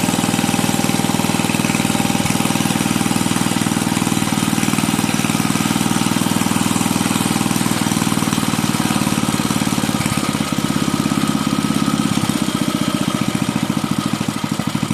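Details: Bolens 5 rototiller's 5hp Briggs and Stratton engine after repairs and reassembly: quick, regular single-cylinder putter, smooth and even, no knocking or stumbling; not burning oil or smoking, one happy healthy little engine.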